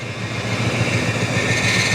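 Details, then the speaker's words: 1966 Ford Country Sedan station wagon V8, first run in about 20 years: constant high squeal over a rough, shaking lumpy idle; owner suspects water pump or power steering. Engine smoking, leaking brake line. "and this thing's shaking like crazy this motor is not happy and something is squealing in there I think that's the water pump"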